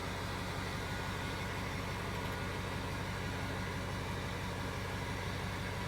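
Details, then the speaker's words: Turbo diesel work truck at 185,000 miles, started after waiting for glow plugs: the turbo spools up and it settles into a steady, even, low rumbling idle with no knocks or misses. Normal, healthy diesel idle. "Let's see what happens. Hey, start it up. Then you can hear the turbo coming to life."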